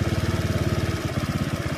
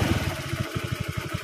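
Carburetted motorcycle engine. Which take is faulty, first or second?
second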